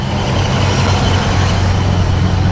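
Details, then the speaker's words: 1970 Buick GS V8 after intake change, four-barrel carburetor, hot engine in neutral: held at higher revs, deep rumble smooth and even with no stumble; runs much healthier with more power. "so fires right up under neutral as you can hear she sounds a whole lot healthier yeah for some of that 70s muscle sound going to her now runs a lot smoother up here"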